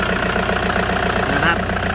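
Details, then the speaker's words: 2009 Toyota Commuter van, 2.5 D4D diesel, heard with the engine bay open: an even, rhythmic clatter at steady idle with no misses or heavy knocks. The engine is described as quiet, steady and dry; healthy. "นี่ครับเครื่องเงียบๆนิ่งๆนะครับไม่มีเยอะนะครับแห้งๆ"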